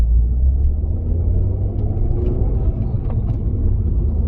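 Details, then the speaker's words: Citroen DS3 with newly fitted performance induction kit, driving at night, low on petrol: deep steady rumble with smooth intake roar over road noise, pulls cleanly with no stumble and no loss of power felt; normal. "that sounds nice yes you might not be able to pick that up on the camera and I know it's super dark you just have to bear with me I can't feel any loss of power"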